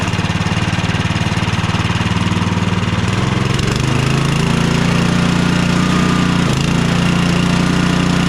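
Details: Cub Cadet 2X 24 IP snowblower with an MTD Powermore 243cc IntelliPower engine (875-WU), after the carburetor was drained and cleaned. The single-cylinder runs steadily and settles to an even speed with no surging or stumbling. It sounds healthy and repaired.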